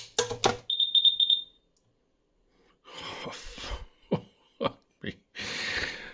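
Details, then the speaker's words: 2006 Karl Storz SCB Thermoflator 26432020 medical insufflator powered up during teardown, drawing 180 W to heat the incoming CO2. Four quick high-pitched beeps, then clicks; low CO2 supply alarm. "he's using 180 watts and that is of course because it's trying to heat up the incoming CO2 and it's complaining we got low level of CO2"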